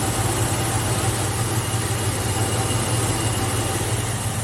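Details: 1971 Mopar with Chrysler V-compressor A/C, empty for years and just refilled, engine idling with Max AC and fan on, heard under the hood: steady low throb, no knocks, squeals or rattles; compressor running normally, air feels cold.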